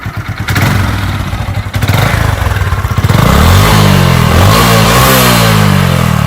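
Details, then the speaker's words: Hero Glamour 125 single-cylinder motorcycle, about 20,000 km, owned one year: brief clattery start, then steady even low thump at idle with no knocks or misses; runs very quietly, normal idle. "Gayet sessiz çalışıyor tam bir kurya motoru şekil olarak da gayet güzel"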